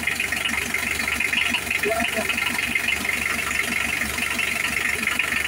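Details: Engine right after a timing belt and tensioner bearing replacement, crank turned by hand to check for contact and battery reconnected: it catches and settles into a steady, even idle with no knocking or ticking, sounding healthy.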